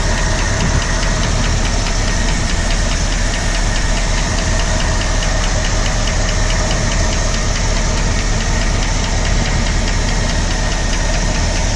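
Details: 1965 Ford Galaxie 352 FE V8 idles steadily after starting with a fast, even ticking over the low rumble; source still being searched.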